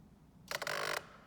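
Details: Fujifilm 56mm f1.2 lens powering up on camera: harsh half-second buzzing grind; owner suspects motor fault, camera asks for restart, aperture stuck at f4.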